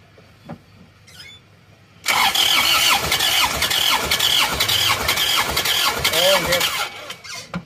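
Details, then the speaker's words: Isuzu Panther Touring diesel that died after running out of coolant on the toll road, cranking during compression test; uneven lumpy cranking, weak pulses, belt squeal; low compression, about 3 bar on cylinders 2 and 3, only number four good, scoring found. "Pengukuran kompresinya terlalu rendah, kan? Pembacaan kompresi terbaik hanya terdapat pada nomor empat."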